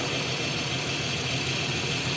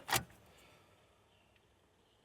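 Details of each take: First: 1993 Jeep Cherokee 4.0 High Output, sat 15 years, first run with water added as coolant: steady, even idle with no knocks or misses under strong bubbling-coolant hiss and fan. Normal idle. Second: 1993 Jeep Cherokee 4.0 High Output, sat 15 years, fresh fuel supplied: the starter grinds over slowly and unevenly at about two turns a second. The jump pack is drained from cranking another truck.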